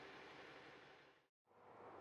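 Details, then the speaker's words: VMAC VR70/VR150 underhood truck air compressor switched off at control box; soft, steady rush of air venting a couple of seconds then cutting off as separator tank pressure blows down; normal shutdown blowdown. "To turn the system off, just simply hit the off button and you'll hear the pressure blow down out of the separator"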